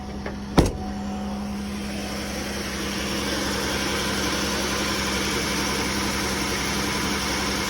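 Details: 2006 Buick Rendezvous 3.5 V6 first start after replacing rusted front fuel line, 5 gallons added, primed: brief clunk then settles into steady, even idle hum with no misses or knocks; runs normally.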